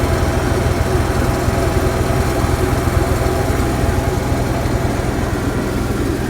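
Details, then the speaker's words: Onan Marquis Gold 5500 RV generator with a new fuel pump (previously stalling after running). Steady, even low drone with no hunting or stumbling. Normal idle. "it's been 3 and 1/2 hours since I started the generator with a new fuel pump and it's still running without issue"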